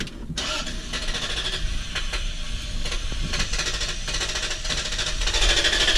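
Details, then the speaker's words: Range Rover L322 4.4 V8 petrol with fuel pump switched off: engine stops quickly, then rapid uneven cranking without catching, as if out of fuel; restarts once the pump is turned back on. "the answer is it stops really fast and then it won't restart almost like it ran out of fuel almost like the fuel pump was dead"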